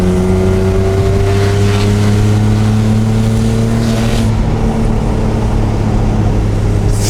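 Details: BMW E36 M3 after head gasket and exhaust valve repair, test drive revving to 5,000–6,000 rpm: loud harsh droning exhaust note climbing with revs; exhaust sounds blown or badly muffled, cause not confirmed.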